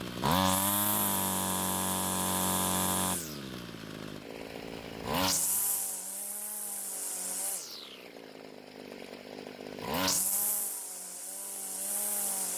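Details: Homelite string trimmer two-stroke that wouldn't start; after stalling when warm from lean low-speed fuel, L screw turned out about a quarter turn, H screw adjusted, idle lowered; buzzy drone revs up sharply and drops to idle several times, picking up cleanly.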